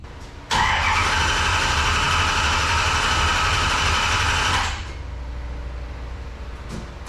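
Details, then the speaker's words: Race car engine on its first start of 2025 after being filled with water: it settles into a loud, fast, steady idle that stays high; no tachometer, so exact rpm is unknown. "uh it's idled up a little bit thing was I don't have a tack so I don't know exactly how many RPMs it was turning uh all I've got is water pre or uh oil pressure and water temp but it was idling high"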